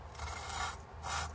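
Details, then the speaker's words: Lapping valves with a drill on a V8 cylinder head from a 1988 GMC Sierra 1500 that had head gasket issues. A soft rubbing swish every half second with no gritty cut: the compound is no longer grinding, just sliding in its grease. "See, that's grinding. That's just a slide in there in the grease of the grinding compound, because this grinding compound is just grease and grind"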